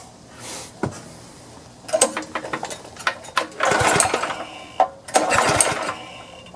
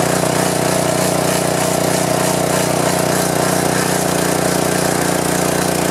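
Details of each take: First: Power washer small engine that won't start with choke on and fuel on; primed with carb cleaner or starting fluid, it gives ragged sputtering bursts that catch briefly and die between cranks; fuel starvation, carburetor to be removed and cleaned. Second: Power washer small engine that would not start, after carburetor and governor linkage reassembly, choke on, fuel of unknown age, air filter off: runs at a steady, even speed with a constant buzz and no misses or surging; normal running.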